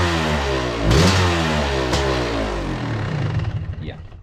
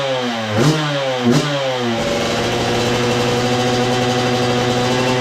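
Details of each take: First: 2002 Yamaha YZ125 two-stroke fires right up on the kick but runs rough, with a ragged, uneven note that stumbles as it revs; owner suspects it needs a top end, possibly jetting, cause unconfirmed. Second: 2002 Yamaha YZ125 two-stroke that sat a long time, first run after cleanup with choke on: revs blip up and down then hold a smooth steady high buzz, no knock or clatter; crank sounds good, healthy.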